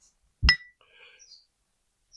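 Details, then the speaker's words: Hammer-off-dolly tap on the crease of a caved-in 1939 Dodge truck cab roof, dolly pressing up from behind but not struck: a single dull, short tap with no ringing after it. "I'm exaggerating, but I'm not hitting against the dolly, okay? So all you hear is that kind of thing."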